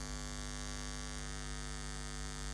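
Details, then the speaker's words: Pro-Ject Box S2 phono preamp with Debut Carbon EVO turntable: loud steady low mains hum with buzzy edge, present even with turntable disconnected, changes when earth cable touched; ground loop hum, fixed by connecting preamp and turntable to proper socket earth. "there is very severe and if i touch the earth cable it changes so there is a that connection here on the earth"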